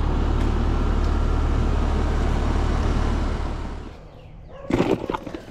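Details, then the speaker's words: Healthy condenser fan motor on a same-age HVAC system for comparison: steady smooth low whoosh and hum, then coast down and a few clunks; contrasts with the dry-bearing whine of the motor being replaced. "my other system that's what a healthy motor is supposed"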